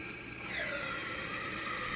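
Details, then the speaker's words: Kohler toilet with a newly installed Kohler GP1083167 Silent Fill Valve: steady rushing hiss with a light whistle that firms up after half a second as the tank refills normally. "So it's definitely filling up."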